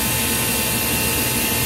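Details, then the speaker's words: Ice machine not making ice, after a new control board with relays enabled: steady, even hiss and hum with one fixed mid tone, no knocks or rattles; compressor and pump running normally. "and the compressor is definitely running so everything for the most part looks like it's probably working"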